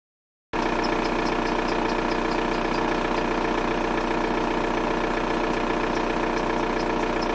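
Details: VW Golf 4 TDI diesel at idle: a fast tick, roughly three or four per second and slightly uneven, rides over the diesel clatter; source not pinned down, owner asks what it could be.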